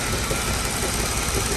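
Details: Mercedes-Benz W211 at idle: slightly uneven rough running with faint irregular knocks; customer's engine misfire recurring 2.5 months after another workshop replaced the ECU; cause unknown.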